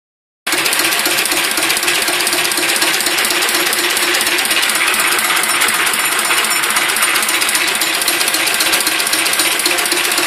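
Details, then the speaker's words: Listeroid 6/1 single-cylinder diesel after the fix: a 0.5 mm key-to-flywheel-hub gap was built up by welding and filing. It now runs steadily and quietly with an even, rapid clatter and no anvil-like knock. "Heat. That is so quiet."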